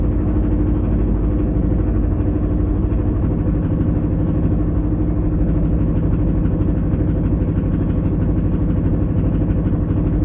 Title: Стук в моторе